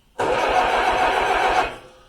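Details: 1953 Allis Chalmers WD45 tractor, first start attempt after over a year of repairs: starter spins the engine for about 1.5 seconds with even cranking pulses but never catches; owner suspects fuel issues or a plugged tank.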